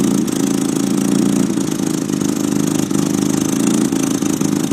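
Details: 1993 Nissan 240SX S13 SR20DET with Godspeed exhaust manifold and Apexi 3" exhaust, on jacks: uneven, lumpy idle with dips, barely running; exhaust leak suspected at first, owner later found a slight oil overfill.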